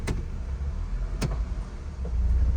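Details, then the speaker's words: 2004 Honda CR-V in drive with gas pressed, and in reverse: two heavy clunks about a second apart over idle as the engine rocks and jerks, steering wheel vibrating; broken transmission/engine mount. "when I put it into drive and when I press gas you're going to hear the clunk noise there you go you hear how bad that is"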